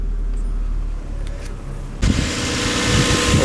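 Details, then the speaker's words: Lexus IS300 straight-six after valve seals, timing belt, cam seals, tensioner, water pump, radiator, condenser, plugs, coil packs and thermostat replaced; quiet, then steady even idle, no skips, no misfire; normal idle, drives smoothly. "drives real nice drives mint you know it's that Lexus smoothness that makes us all of these cars"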